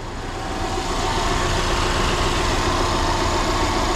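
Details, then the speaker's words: 2011 Subaru GT boxer engine with a secondhand replacement engine, at idle: faint, fairly regular tapping about three or four per second over the idle; engine knock, engine judged not good. "so the problem for this one is of course engine knocking on the Subaru boxer engine is not that good"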